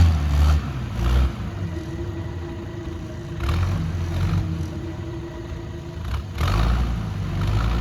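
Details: 60-year-old Clark Michigan 55A wheel loader diesel, started after tightening O-ring fitting to check for leak: fires and settles to low steady idle with brief throttle swells, no misses or knocks; normal start and idle.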